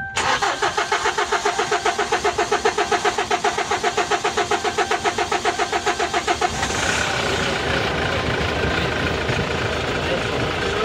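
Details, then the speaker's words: Kia K2500 with heavy white smoke at start: steady starter cranking for about six seconds before it catches and runs rough; hard start from a leaking injector. "medyo matagal siyang umandar no kogkog kogkog"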